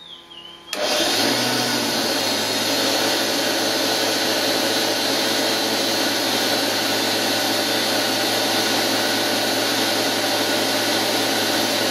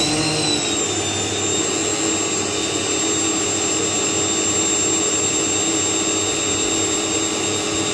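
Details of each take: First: Washing machine universal motor driving a lathe, running unloaded without cutting, recorded near a decibel meter before bearing replacement; loud steady hissy roar from rough worn motor bearings. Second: it's not much squatter really uh by the decibel mini because these motors are a little bit whiny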